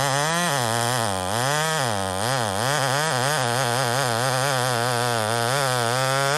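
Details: Homelite chainsaw, 28 full-house stock chain, cutting: crisp two-stroke holding a high steady buzz that dips and recovers smoothly under load; normal healthy running.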